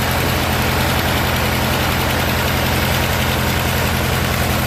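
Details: Murray riding mower with a 16 hp Briggs & Stratton opposed twin, sat two years, after carburetor and fuel-pump rebuild, fuel system drained and a new battery: deep, even thrum at idle, steady without misses or surging; a healthy engine.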